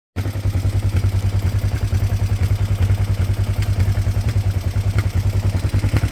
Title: kawasaki er-5 1998 - weird engine sound (valvetrain?)